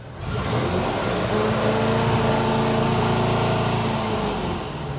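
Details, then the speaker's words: 1974 VW Bus engine after tune, static-timed, in first gear: engine climbs cleanly through the revs with a smooth rising note, no misses or rattles; healthy high revving, though slight backfire noted later near 3000–3500 rpm. "I mean, high revving sounds good."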